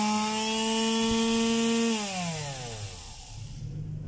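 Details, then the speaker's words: Finishing sander (3991 DWE 6411) running normally after replacing the 6001 bearing and platen; steady clean hum with no rattle or grinding, then smooth even spin-down after switch-off. "Ayos mga kabay maganda na uli yung yung tunog niya at saka yung pagsa Sander Okay na"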